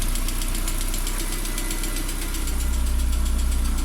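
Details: Lada Priora idling after an oil change to Lukoil Genesis: steady idle with a light, even tick about four per second on top; most hydraulic lifters stopped knocking, one still ticks faintly.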